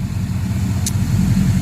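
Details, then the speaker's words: 2007 Cadillac Escalade EXT, parked for 2 years with a known transmission fault: low, steady, even idle with no smoke, knocks, ticks or misses, only one brief click; engine healthy. "Thing didn't smoke when it started. It's not making any noise."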